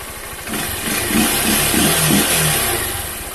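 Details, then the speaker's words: Honda CG 160 Fan with 6,000 km, after adjusting a loose valve that ticked when started cold: small revs settle back to an even idle with no top-end ticking. The valve clearance is now correct. "aí a válvula Tava um pouco folgada tava demorando para parar de bater demorando um pouco para parar de bater agora ficou filé"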